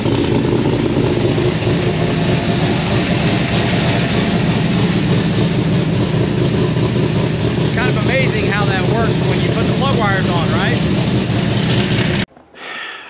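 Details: V8 idling on a freshly installed Holley Sniper EFI (carburetor conversion) after the plug wires were corrected, base tune targeting about 13–13.5:1 idle air-fuel ratio: strong, steady, even rumble with no stumble or miss, healthy.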